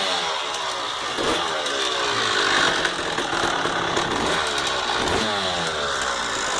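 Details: 1999 Honda CR250R two-stroke dirt bike runs with a busy, uneven metallic rattle over the crackly exhaust note; the cause is unknown.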